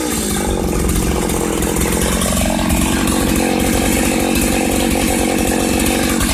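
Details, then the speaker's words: 1995 Ardisam Earthquake 8900 auger two-stroke, late-evening cold start on the first pull: steady, even buzz at constant speed with no misses or surging; the engine is running properly after repair. "Awesome. First pull. This Ardisam Earthquake-Auger is ready to rock."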